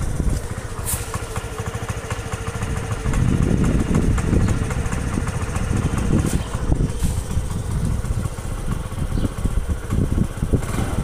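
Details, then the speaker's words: Honda Activa scooter: uneven, stumbling putter at idle with irregular gaps in the beat, missing and not picking up; engine misfire, spark plug to be checked first. "गाड़ी missing कर रही है, साथ ही साथ pickup नहीं ले रही है।"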